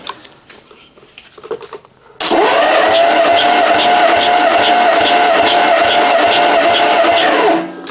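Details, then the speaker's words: 1956 Dodge 230 flathead six on an engine stand, warm, cranking for a compression test with plugs out and throttle wide open: even, steady starter rhythm with no stumbles; readings about 135-140 psi, decently even. "So decently even compression all the way around."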